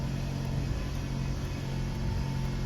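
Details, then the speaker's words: Scion tC after CV axle repair and replacement of all engine and transmission mounts, first start: smooth, steady low hum at idle with no shake, knocks or surging, even in drive and reverse; previous shaking gone. "I am not feeling any shaking. Let me go ahead and pop it into reverse here. Drive. I'm not feeling it. It's gone."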